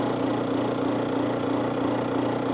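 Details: AC refrigerant recovery machine switched on to recover freon from a car as preventive service, drawing the system down to vacuum; steady, even motor hum and low drone with no knocks or grinding; normal.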